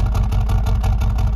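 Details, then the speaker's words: 2021 Mercedes-AMG CLA35 4Matic 2.0 L turbo at idle: an even, lumpy burble pulsing steadily that sounds like a misfire, but no check engine light and nothing felt; it's exhaust character, not a misfire. "That's what it sounds like. But there's no check engine light and you can't feel it. But that exhaust makes it sound like it has one."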